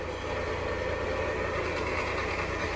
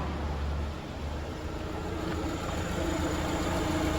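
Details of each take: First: 2019 Jeep Compass engine running: a strong, constant dry whirring from the alternator pulley, with no noise from the engine itself. The belt is removed next to hand-spin each bearing. Accessory drive pulley bearing noise. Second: 2019 Jeep Compass engine after repair of a strange noise believed to come from the accessory belt. Steady, even run with no chirp, squeal or rattle; the belt drive sounds healthy.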